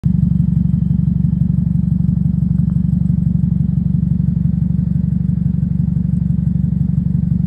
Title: Car is noisy with exhaust leak issue. Catalytic converter going to resonator. #automobile #mechanic